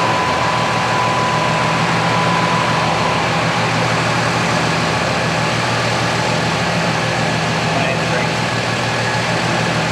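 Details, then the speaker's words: 2006 Ram 2500 5.9L Cummins, G56 manual, 130,000 miles, idling after towing fifth wheel 11 hours: thin steady whine over diesel clatter from power steering/Hydroboost pump, felt in steering and brakes; turned out a different, free-to-fix failure. "he highway, and she started whining. Sounded like power steering. Then I hit the brakes, and I felt it in the brakes. So that confirms that power steering, because it runs both systems."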